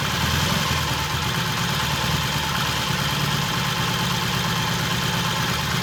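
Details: 1968 Triumph T100 twin with a new battery, with throttle cable slack adjusted: even, steady low thrum with no misses, hunting or surging. Timing is spot on, mixture and idle good.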